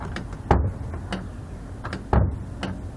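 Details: Top-load washing machine whose lid had been smashed down, after fitting a new lid switch: a couple of sharp clicks about 1.5 s apart over low hum, showing the lid switch engaging properly again.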